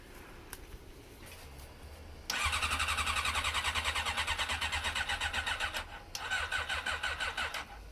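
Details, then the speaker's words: Honda CM400 carbureted motorcycle: two bursts of steady cranking, but the engine never catches; owner suspects the cold weather is upsetting the carburetors. "Why won't it start though? Because it's cold. Carburetors don't like the cold."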